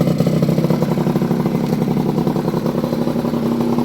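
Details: Restored 38-year-old Honda bosozoku scooter after fitting a larger 102 jet, running with the choke off. Small single revving freely with a quick even putter, picking up cleanly with no misfires or rattles; healthy.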